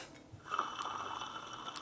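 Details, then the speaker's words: Clutch from a project, turned by hand: gritty, ratcheting rasp instead of a smooth spin; hub bearing with plastic cage is bad, slid about 1/32 inch under push-out pressure. "This has a plastic cage in here, and the plastic cage I'm sure is wearing away or giving up. When you push on it, it doesn't sound very good."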